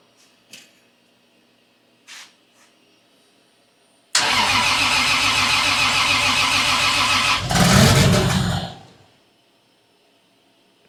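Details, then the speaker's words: 1978 Datsun 280Z with 2JZ swap on ECUMaster Black standalone, first start after fuel system pressurized and oil pressure built: cranks about three seconds, catches with a brief roar, then stalls within a second. "started and stop running."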